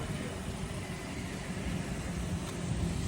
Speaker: Двигун працює рівно.